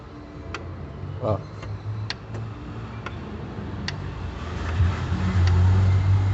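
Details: VW Fox (2007) 1.6, also seen in Gol/Voyage, with cylinder head removed: sharp dry ticks about twice a second over a low hum rising with revs, sounding like valve noise; excessive piston-to-bore clearance, piston slap, pins likely worn too.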